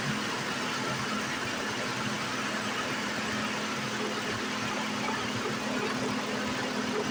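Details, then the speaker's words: 2008 Saturn Vue, 3.6L V6, FWD, at first start after valve cover gasket replacement. Even, smooth idle with a steady hum and no knocks, ticks or odd noises. Engine sounds normal. "I don't see anything new no weirdness nothing like that sounds like it normally does so yay that's how you do that"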